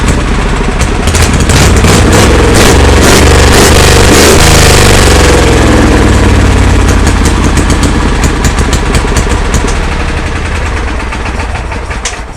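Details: Kohler Command engine in a Cub Cadet garden pulling tractor after new fuel lines: loud, crisp single-pitch roar that holds steady, then eases off smoothly with no stumbles; fuel delivery sound.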